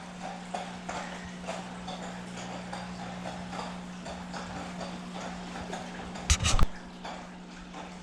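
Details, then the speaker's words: Saltwater fish tank filter; steady low hum with soft regular clicking about twice a second, owner guesses the filter is all clogged up. "And I guess that is the filter all clogged up."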